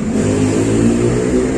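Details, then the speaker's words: Carburetted Toyota Kijang engine under light revving runs with an uneven, lumpy beat as one cylinder isn't firing, leaving no power; the spark plug looks normal brick-red, and the owner suspects fuel isn't reaching or burning in cylinder one. "Begitu keluar dari rumah pelanggan mobilnya jadi pincang teman-teman sepertinya salah satu silinder itu tidak terjadi pengapian gampangnya tidak ada tenaga itu"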